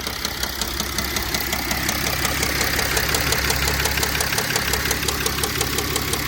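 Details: 2005 Mercedes CLS 320 CDI diesel: steady sharp metallic knocking about three per second at idle; owner suspects rod bearing, unconfirmed.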